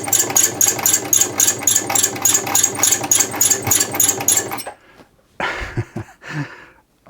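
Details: Bernette 50 sewing machine running at about three and a half stitches a second, clattering harshly from lack of maintenance and lubrication, before a service with oiling.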